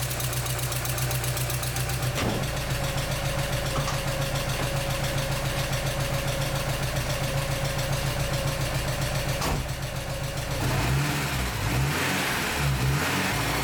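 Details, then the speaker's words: 1986 Porsche 944 Turbo (951), after replacing blown fuse 41: long steady cranking, catches near end and settles into running idle. Normal start; no-start solved. "Well, I took the car for a spin and it runs great. Looks like we've solved our no start issue."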